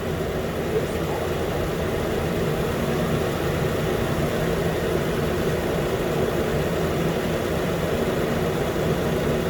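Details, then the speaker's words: 2013 Nissan Pathfinder, 265k miles, after new AC clutch and serpentine belt; compressor running steadily as cabin is hot: even idle, low hum, constant belt-driven whir, no slipping or clatter; healthy. "so yeah now the compressor is gonna rotate for a while because the car inside is pretty hot so it's not gonna stop the clutch or not"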